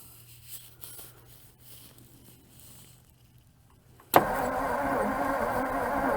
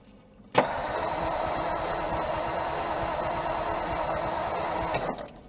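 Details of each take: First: 1956 Ford Customline, 292 V8 Thunderbird engine with Holley four-barrel, off the road 50 years, new battery jumped at the starter solenoid: a steady, even starter whirr spins the engine freely for about three seconds. Cranks well, nothing seized. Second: 1956 Ford Customline with a 292ci Thunderbird V8 and Holley four-barrel teapot carburetor, off the road since 1971. The starter cranks steadily about four seconds without firing because the engine is flooded. Fuel is dripping, the accelerator pump is suspected dead and the battery is tiring.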